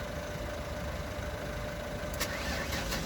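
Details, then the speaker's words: Car just back after a swap to a second-hand ST200 gearbox, started on a weak jump-charged battery. Uneven, lumpy running that won't idle unless revved; still misfiring, and the owner suspects a connection he made. Misfire, rough running. "But it's still got the misfire. So it won't tick over if I let go of the stop revving, it won't tick over."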